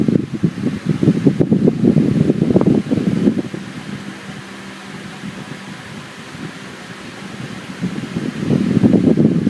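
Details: Camel PSIF-16 55W stand fan running with a soft, even whoosh of moving air and no rattle or scrape, after repair of noisy spinning: worn shaft sanded, bushing and capacitor replaced.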